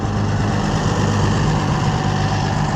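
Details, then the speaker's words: Oliver 770 tractor with its rebuilt carburetor reinstalled on the second try (it smoked before from wrong fuelling); even, low, rumbling idle with no misses, surging or hunting; repair a success. "all right so I guess we'll call this a success it only took two tries but hey I'm just glad it's working"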